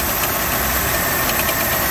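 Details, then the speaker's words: 1988 Buick LeSabre 3800 with a knock from the drive pulleys. Air compressor bypassed; tensioner, alternator, water pump and power steering pump ruled out. A dull, uneven knock at steady idle, blamed on the harmonic balancer. "not the tensioner pulley, not the alternator, not the water pump, and it's not the power steering pump. I believe it's the harmonic balancer."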